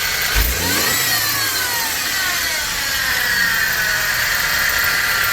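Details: BMW four-cylinder N20/N26 engine, quick throttle blips bring a dry metallic rattle rising and fading with revs; timing chain stretch symptom, fix is replacing timing chain and oil pump sprocket.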